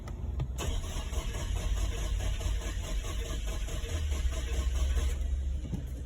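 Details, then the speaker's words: 2009 Infiniti M35 with a recently replaced engine: brisk, even cranking for about five seconds that never fires. There is no spark, and the scan tool shows the timing numbers at all zeros while cranking. "They recently changed the engine. Um what I want to show you is the timing numbers. It's not sparking, okay?"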